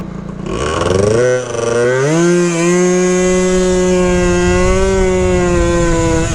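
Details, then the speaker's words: 120cc stroker Honda Elite two-stroke with a 50 pilot / 134 main: revs climb to a thin, high buzzing wail that holds flat and won't pull further; lean top end, owner stops to avoid damage. "yeah I don't want to I don't want to risk it it's run lean top end now"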